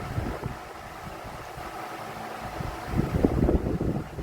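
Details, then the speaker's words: Vornado 12-inch oscillating Silver Swan Alchemy desk fan, about 3 years old, found on the curb, heavy blades and hub: loud rushing airflow with uneven low thumping about four beats a second, possibly out of balance; excessive fan noise. "And it is just insanely loud, and it does not perform."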